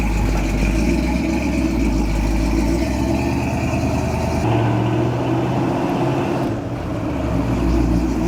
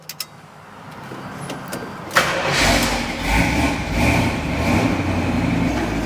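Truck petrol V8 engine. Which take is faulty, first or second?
second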